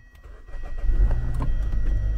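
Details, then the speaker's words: 2011 Hyundai Sonata started after battery replacement (old battery couldn't turn the starter): short crank builds quickly, engine catches into a steady, even low rumble with no drag or clicking; normal healthy start. "all righty so the car starts up so I think we got it fixed"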